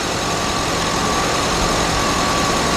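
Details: 2009 Chevy Tahoe 5.3 V8 idling after alternator replacement (complaint: lights flickering, power loss, doors locking/unlocking), charging near 15 V, AC and headlights on; steady even idle, faint constant whine, no misses or knocks, healthy under electrical load.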